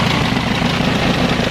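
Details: Isuzu 4HL1 diesel being troubleshot for a crank-no-start problem involving the shut-off valve: even, steady diesel clatter at idle with no misses or knocks; normal idle.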